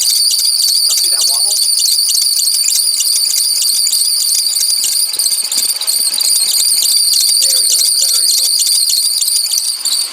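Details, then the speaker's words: 2006 Ford Explorer 4.0 SOHC V6 running, after overheating and belt coming off: loud, continuous high-pitched belt squeal, belt bouncing in and out; failed, wobbling harmonic balancer, later replaced. "sometimes the whealing will subside but I don't think it will this time and hopefully can you see the harmonic Balan down"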